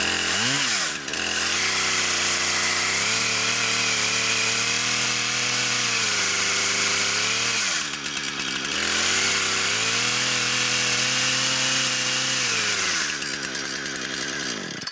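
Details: Brand new Husqvarna 460 Rancher chainsaw, first run ever: screams up to full revs, holds clean and steady, drops back twice and shuts off; crisp, strong pull; normal running.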